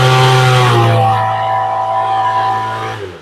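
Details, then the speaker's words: Small two-stroke engine with rebuilt carburettor during tuning, held at wide-open throttle: steady buzzing drone with a faint stutter and little pop before dropping off, meaning too much fuel at the high end; running rich. "and you can hear that little stutter in it little pop that means she's getting too much gas it still run but it's getting too much fuel"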